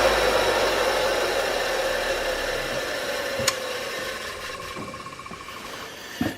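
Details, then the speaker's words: Belt grinder electric motor for a homemade 2x72 inch build, plugged in after wiring was fixed and motor cleaned: smooth, even hum with steady tone, no knocks or grinding as it runs down; motor runs healthy like before. "what we're gonna do now is we're gonna plug it in to make sure our measured runs everything works like it did before"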